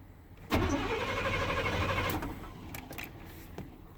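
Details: 1990 Chevy 350 TBI truck, cold start at about 50°F: engine catches for about a second and a half, then fades and dies, leaving only faint clicks; cold crank, starts then stalls.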